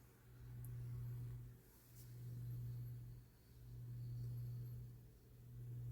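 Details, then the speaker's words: Lasko 9" desk fan 2154 (1988–89) oscillating after extra washer added: low steady motor hum swelling and sagging about every two seconds as gears reach a tight spot; oscillation gearbox binding. "and as you can see this is where the tight spot was it just passed at so once that um this little gear pops up that's where you the tight spot is and that is where the fan has the most hard time struggling"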